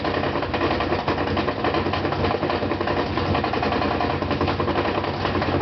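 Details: Brand-new GE washer (Sep 2012), loaded with two blankets, during spin: loud uneven heavy thumping about once a second over the drum roar; fine during wash and rinse agitation, quiet when empty; loose counterweight knocking.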